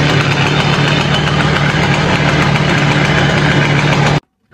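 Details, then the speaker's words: Simson S70 two-stroke after an S51 exhaust replaced the old one and a leaking carburetor was swapped: even idle with a steady low putter, then it shuts off cleanly. Much quieter than the old exhaust; healthy. "Các bạn thấy đó, âm thanh từ ống xả này êm hơn rất nhiều"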